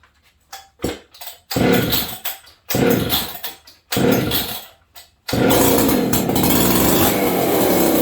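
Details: Old Jonsered 630 chainsaw fitted with a new Husqvarna full wrap bar, first run since last used in winter. A few pull-start bursts, then it catches and holds a burbly, slightly uneven note; carburetor running rich.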